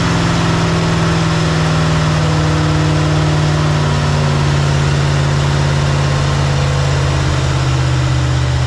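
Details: 1984 Chevy Silverado with 350 swapped in for 305, timing about 12 degrees advance at idle: deep even V8 burble with no misses, knocks or hunting; normal steady idle, earlier stalled when idled down.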